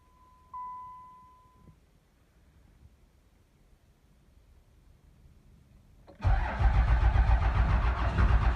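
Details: Cummins 12-valve diesel, 360k, cold start in a Michigan shop at about 30°F with snow. After a long quiet stretch it catches abruptly and settles into a loud, rough clatter with heavy smoke. Hard cold start, owner checking cold-start electronics and battery voltage.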